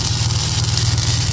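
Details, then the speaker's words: Ford EF XR6 Falcon, 4L SOHC engine at idle: fast, even tapping rattle constant with no rev change; slightly leaking power steering pump suspected; noise stopped after about 10 minutes of idling. "Sounds a bit rattly though, doesn't it? You hear that?"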